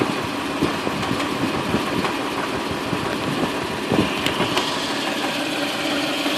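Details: Toyota 2UZ-FE V8 at idle: steady rumble with sharp, uneven knocks about every second, a strange abnormal knocking sound, cause not yet pinned down.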